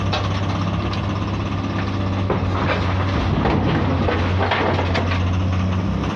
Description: komatsu PC210-8 Abnormal Sound from Engine and heavy white smoke due to Injector failure..